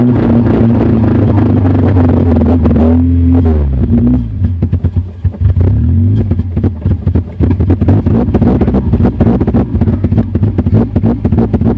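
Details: 2000 Honda CR-V with B20Z engine: uneven, stumbling beat that sags, nearly dies, then restarts and runs ragged; the engine misfires and stalls.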